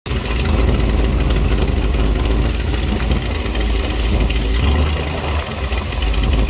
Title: vacuum leak